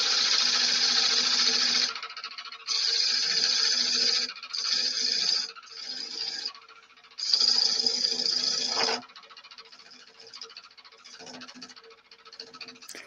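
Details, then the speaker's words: Wood lathe turning a shallow pine bowl: steady spindle hum with a light rhythmic tick, about four a second, under cutting hiss; the ticking is a worn bearing on a high-hours lathe needing service. "no that sound is the bearing leona yeah the sound that you're hearing is the bearing is starting to make a noise this it needs uh service done a lot of hours"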